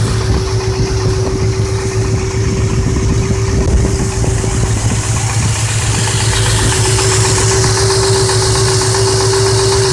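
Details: Ford 5.4 4V V8 knocking steadily at idle, in time with the crank, after timing guides found broken and replaced along with all four chains, timing gears, tensioners, 3V oil pump and Cobra pickup tube; knock persists, most likely a spun rod bearing.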